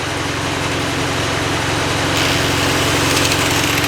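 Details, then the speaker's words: Miller Big D2 welder engine on low idle, tested after reassembly; the rheostat's broken ceramic stop lets it swing past its limit. The engine holds a steady, even low idle with a constant drone and no misses, knocks or surging, so it runs normally. "all right here's the test I have it just on low idle I just want to see if something's going to"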